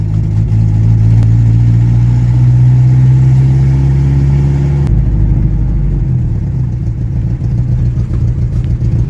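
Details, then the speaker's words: 1986 Jeep Comanche 2.5L four-cylinder, cold idle: deep uneven lope; misfire owner assumes is cylinder 2. "when the engine is cold it misfires on what I can only assume to be cylinder 2 you can hear it the best under"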